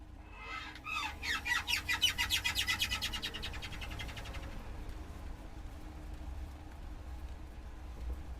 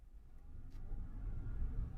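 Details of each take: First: 2014 Chevrolet Silverado accelerating: a rubbery, bird-like chirp repeats faster and faster with speed until it can't be heard, caused by a worn driveshaft U-joint squeaking. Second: 2014 Chevrolet Silverado after replacing a bad U-joint: low road and engine rumble building under load on acceleration, with no sign of the earlier wet-rubber squeak that had grown faster with speed. Driveline now quiet.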